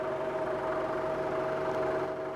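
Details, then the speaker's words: Milling chatter: steady high ringing tone over rough cutting noise as an Iscar face mill with positive-rake inserts set at negative rake struggles through pre-hardened steel, manual feed; insert geometry suspected, cause unconfirmed. "I might have to switch to a different face mill. This is an Iscar, too. This is an expensive face mill, but just doesn't like this preh hardened material."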